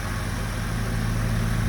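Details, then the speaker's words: 2003 Porsche Boxster base (tiptronic), flood-salvage car bought non-running, running on an 03 Boxster S computer and immobilizer; smooth even deep idle hum, no misses or hunting, AC kicks on — normal idle. "It sounds beautiful. See the AC? The AC kicks on."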